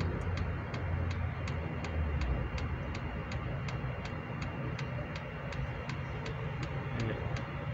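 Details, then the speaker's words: Hcalory 8k all-in-one diesel heater on first start, powered from a Baseus PPS420 power station drawing about 117–160 W; crisp, even dosing-pump ticks about three a second over a low fan rumble, quiet, metering normally. "there's always been complaints about these dosing pumps being noisy this one's not I think if it's it's outside and you're inside you're never going to hear it"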